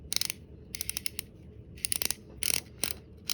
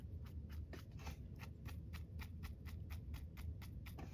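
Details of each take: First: Fishing reel during service and reassembly (opening names an Ambassador 5500C, title a Shimano Sienna 4000R): the stretched drag clicker wire clip was squeezed down and reinserted, so its spring ends strike the part and give crisp, rapid clicks as it rotates. Drag clicker now working. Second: Shimano Sienna 4000R spinning reel, front pinion bearing oiled on its unsealed side three or four times and worked in: faint, rapid dry ticking as the handle turns; the pinion bearing is still noisy, with no replacement available.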